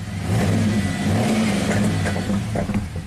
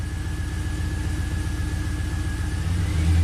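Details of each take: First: 2004 Pontiac GTO 5.7 LS1 V8, 34,000 miles, after replacing a bad spark plug: smooth rising rev and even settle back down with no stumble; firing cleanly on all cylinders, misfire counters now clear. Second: 2004 Pontiac GTO 5.7 LS1 V8, 6-speed manual, 34,000 miles, misfire counters climbing on cylinders 1 and 8: engine stumbles with an uneven, lumpy beat, one cylinder dropping out; later traced to a bad spark plug.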